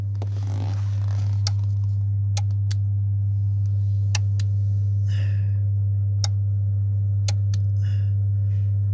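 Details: About 8-year-old Rimini spa with 2-speed jet pump motor, fuses tested fine: pressing the jets gives a steady electrical hum with scattered sharp clicks and no motor spin-up; relay clicks but pump never starts, owner suspects a relay, unconfirmed.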